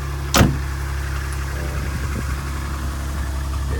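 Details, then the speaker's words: 2010 Jeep Wrangler, Chrysler V6, cold start at about -5° (dash says 5°): one sharp click, then a deep, steady idle with an even rhythm, no misses or knocks; normal cold start. "like a Chrysler v6 if I'm going to say pretty salty as you can see the cult art started up though"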